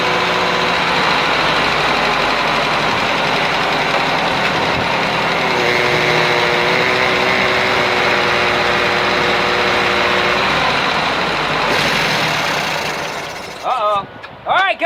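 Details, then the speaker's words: 1950 Ford 8N tractor, first start in 12 years after carburetor cleaning, fresh fuel and rising compression; fairly steady idle without stumbling for over ten seconds, then dropping away, running fine. "well there you go we made some heat"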